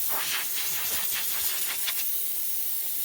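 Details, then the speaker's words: Simadre 5200DX plasma cutter powered on in cutting plasma mode with air source connected: steady airy hiss runs without letup from the torch while nothing cuts; air solenoid valve stuck open. "And it's still fizzing. The air is still going on."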